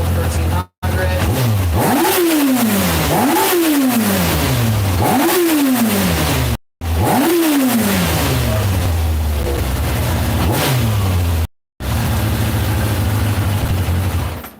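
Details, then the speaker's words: 1995 Kawasaki Ninja 900, about 10,000 miles, fire-up after new petcock and main fuel line fitted; crisp blips rising and falling cleanly back to a steady idle without stumble, normal idle and revving. "it's because it sounds so bitching dude sounds so [ __ ] a perfect idol"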